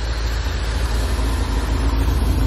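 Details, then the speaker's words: C4 Corvette idle after replacing sensors, fixing a vacuum leak and adjusting the TPS: low, heavy idle rumble with a faintly uneven, hunting pulse; owner suspects the TPS still needs slight adjustment, engine not yet fully warmed. "my CPS sensor has to be adjusted a little bit more cuz I can tell that it's running a little funny right now it's almost where it need to be"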